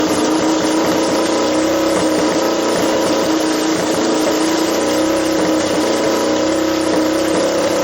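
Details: Doodlebug minibike with swapped Lifan LF200 (163FML) single, carburetor re-jetted with leftover Keihin jets: revving steadily with crisp even note, no misfire or hunting; carburetion sounds correct, normal running.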